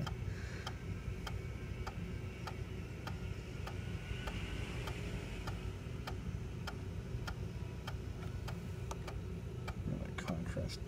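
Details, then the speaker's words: Macintosh PowerBook 165 floppy drive formatting a disk after initially sounding rough: light, crisp clicks about one and a half per second over a quiet hum; drive working fine. "no it looks like it's working fine damn they built these things pretty well I guess"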